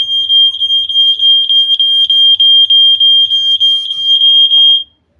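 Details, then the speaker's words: Standalone smoke detector tested with smoke: loud piercing high beeps about three times a second for several seconds, then stopping; it senses the smoke and alarms properly. "See, guys, it has already sensed it that there is a fire. Listen, guys. So when you hear that alarm, what you supposed to come and see what I've already done."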